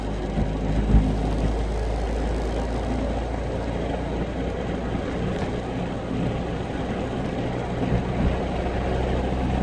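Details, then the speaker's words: Honda Civic EK with its stock engine and stiffer aftermarket Yonaka engine mounts, heard in the cabin while driving: steady low droning rumble; engine vibration passed through the stiff mounts. "guys for those of you wanting stiffer mounts I don't know if you can hear all that vibration but that's with the uh yonaka mounts"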